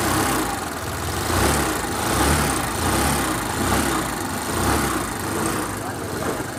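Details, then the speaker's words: Hero Duet scooter that made a noise from the clutch area because a part left loose by a previous mechanic worked free: after retightening, it idles smooth and even with a soft drone and the noise is gone. "Scooty हमारे start हो गई आवाज दे रहा था गाड़ी अब आवाज खत्म हो गया"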